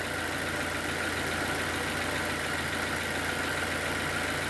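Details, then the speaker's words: 2007 Nissan Y11 Wingroad QG15DE, blown ECM idle air control driver so no relearn possible; idle now steady and even around 825–850 rpm with no misses or hunting; rich condition from fuel pressure regulator remains. "Unfortunately, drivers in the brain bad for the idle. So without that, we can't do no relearning. All right. So the island down to about 825 850"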